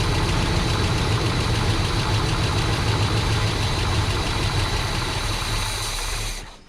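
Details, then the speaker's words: 1982 Chevrolet C30 dually flatbed, 454 big-block V8 with 4-speed manual, first start after sitting 16 years, before the fuel system is hooked up. Even, deep burble for about six seconds with no ticking or knocking; runs pretty good. "Well, she runs. It actually runs pretty good."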